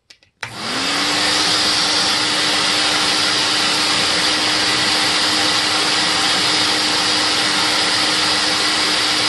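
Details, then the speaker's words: Compact TriStar CXL vacuum with replaced 9.5/10 A motor (model 6600-00), test run after replacing gravelly 608 bearings: quick spin-up to steady rushing whoosh and even hum, only fan noise; normal running. "nice just fan noise not extraneous motor noise okay so we are done with this"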